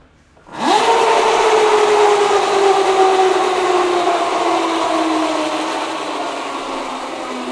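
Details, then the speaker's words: Yamaha Mio converted to electric, chain drive, after Motul chain lube applied and left to thicken: a high whine jumps in on throttle, then falls in pitch as it coasts down; still noisy, suspected chain. "Masih berisik. Iya. Enggak apa-apa sih sebenarnya. Jujur gua malah suka sih dengan suara yang kayak gitu. Kayak suara mobil F1, cuy."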